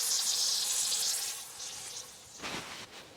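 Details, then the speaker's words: Kioti CK2610 tractor rear tire being ballasted with RV antifreeze, nearly full: sharp steady hiss fading over a few seconds with a brief spurt as air bleeds from the tire valve; normal. "That's bleeding the air off. I got a little bit more to go and this tire will be done."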